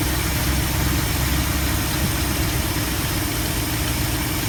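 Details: 1972 Ford F250 with 360 V8, after a Pertronix Flame Thrower II distributor install with new coil, cables and plugs and the distributor repositioned: deep, steady idle with an even low rumble and no miss or stumble; normal, smooth idle.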